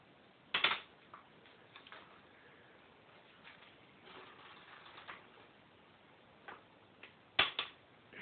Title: Bottom Bracket Creaking Sound